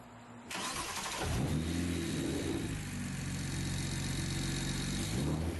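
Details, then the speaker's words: BMW 335i after Precision RaceWorks ignition coil install and flash: cranks, catches quickly, revs and settles to an even idle with no stumble, cylinders 1 and 2 coils swapped back to fix a misfire. "So I had cylinder 1 and 2 switched, so we switched them. Now there shouldn't be a misfire."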